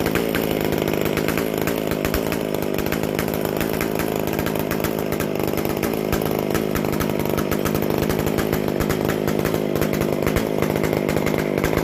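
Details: McCulloch Super Pro 125C chainsaw after base gasket changed and sealed, fixed-jet carb mixture turned out slightly; loud steady buzz at even high speed, no stumbling, running cleanly, loud from missing muffler gasket.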